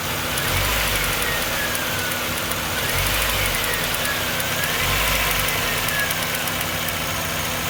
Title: Miata ticking noise with rev